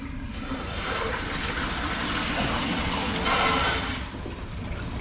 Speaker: when we lose this Inlet pressure our gauge will drop when that gauge drops to the point where the relief valve opens the water is going to flow back through our relief valve